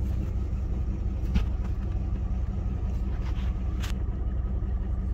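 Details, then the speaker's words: 1999 Dodge Durango SLT V8, sat 14 years, after refuelling from empty: low rumbling idle with an uneven, stumbling beat a few times a second; misfire because the two front spark plug wires were crossed against the firing order. "I look at that firing order it did have these two up front backwards I I knew it I knew it didn't sound right"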